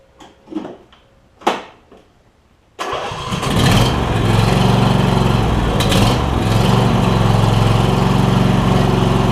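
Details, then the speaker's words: Replacement Briggs and Stratton V-twin installed in a John Deere E140 lawn tractor, reassembled with blades and drive working: after a few clanks it fires into a steady, low, slightly lazy thump; idle a little low, adjustable; low idle speed. "seems like it's idled a little low but we can fix that as well"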